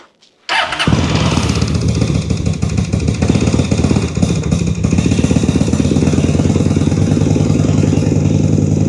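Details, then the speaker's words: 2003 Honda VT750 V-twin started with choke after a service (plugs, oil, filters, front fork seals): brief crank, catches cleanly and settles into a steady, even idle with no misfires or clatter; normal start and idle. "Sounds good."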